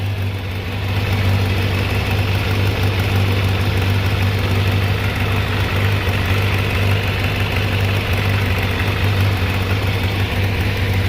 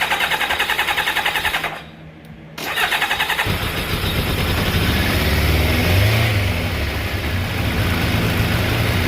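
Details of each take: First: Kawasaki ZZR600 inline-four, slightly warmed, off choke, after changing clogged fuel filter: steady, even low hum with no dips or hunting; smooth, stable normal idle, carbs stable. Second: Kawasaki ZZR600 Ninja four-carburetor motorcycle, cold on choke, before carb synchronizing. Long cranking with a pause, then it catches into an uneven, lumpy idle. Hard start because fuel drained back from the carburetors.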